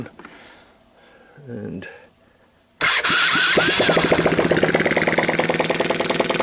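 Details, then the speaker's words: Sunl 110cc ATV engine, cold, on bench with jump pack and portable CDI after hard-starting fix (intake manifold leak suspected); one crank, catches instantly, even single-cylinder patter about 200 beats a minute; normal start and idle. "there we go so this engines gone"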